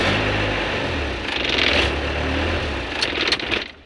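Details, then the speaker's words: Isuzu Panther 2.5 diesel with a full tank: revs surge and stumble with coughing bursts when throttle is applied, idle shakes and may stall; fuel-delivery lines in poor condition, fuel starvation hesitation before fuel-system repair. "intinya mobil ini merebet brebep brebet minyak kecekik minyak tekor"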